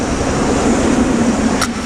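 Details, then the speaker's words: 2003 Ford E350 Econoline van with the 5.4 engine, first start after fuel pump replacement: a steady, even engine note with no knocks, misses or whine, running normally. "Okay, so let's go fire it up to see if it worked or not. Hola! Woo! It worked!"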